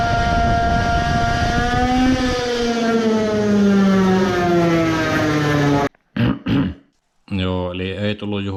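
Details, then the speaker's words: Two-stroke moped on a dyno, testing a new high-power expansion pipe: engine screams under load, pitch sagging, then flares in short bursts as the faulty dyno cuts out and removes the load, cause unknown. "on almost every pull it cuts out sometimes it completely stops. you can hear when the moped revs up when the load is removed I don't know why it is."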